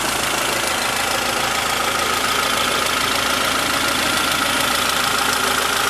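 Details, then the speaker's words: 1992 Honda Prelude Si, smooth steady four-cylinder idle with a faint high hum, no knock or belt squeal; an intermittent accessory-belt whirring is not present now; healthy idle. "the engine is really the the best part of the [Music] car it starts right up"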